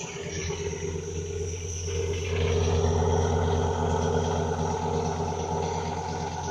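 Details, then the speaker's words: Dodge Ram SRT10 pickup, sat for months, first running after ASD wiring fix: steady engine rumble with thin high squeal throughout; drive belts squeaking. "Bunch of belts squeaking, that's for sure."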